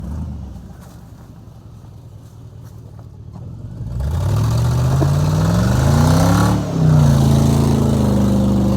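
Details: Engine revving from idle to a hard rev with a rough puffing rasp that grows with revs; exhaust leak, since fixed.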